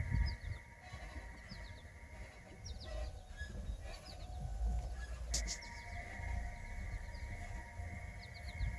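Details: Lexus CT 200h: clusters of short, high-pitched squeaks over a low rumble; owner wonders whether a ball joint or control arm bushings are the cause, not confirmed; suspension squeak.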